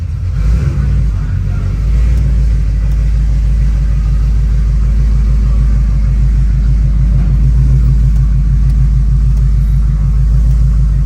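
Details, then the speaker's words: Ford Crown Victoria V8 after fixing exhaust leaks and replacing the FPDM for a fuel pump issue: deep even burble at idle with steady low pulses, no puffing or ticking, exhaust leak noise gone; normal idle. "say I'm back normal it's sound better cuz it ain't got all that exhaust leak noise"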